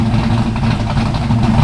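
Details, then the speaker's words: Hot small-block V8, about 12:1 compression, running an ethanol/race fuel mix: even, steady idle at about 1,100–1,120 rpm, smooth lope with no knocks or misses. Normal idle. "um they don't like to idle below 1100 yeah see there 11 1110 1120 okay so that's perfect right in there"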